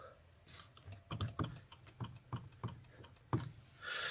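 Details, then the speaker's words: Skoda Octavia 2 facelift horn: pressing the horn gives sharp irregular relay clicks and no horn tone; suspected faulty relay (clicks without making contact) or wiring from relay to horns, unconfirmed. "Naciskam klakson i jest cisza. Czy słyszysz ten dźwięk? Przekaźnik klika."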